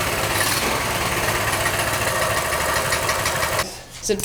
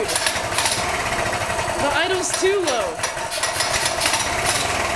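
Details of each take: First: Small single with a newly installed 22mm Mikuni carburetor replacing the stock carb, idle raised after being too low, buzzing at a steady, even raised idle before shutting off; runs smooth, normal idle. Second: Small single-cylinder engine after 22mm Mikuni carburetor install replacing stock carb: slow, uneven idle with rough pulsing, nearly stumbling; idle set too low, then adjusted up.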